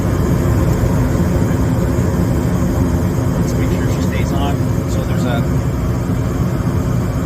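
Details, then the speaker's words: Gas furnace (slow-operating) burners lit after inducer, pressure switch, igniter sequence, waiting for fan limit switch to start blower; steady even roar, no dropout; normal burner operation, service fault was flame sensor. "a fan limit switch in in the um air side of the unit it'll kick the fan on once the heat exchanger gets to a certain temperature that's when the fan kicks on so let's wait for that"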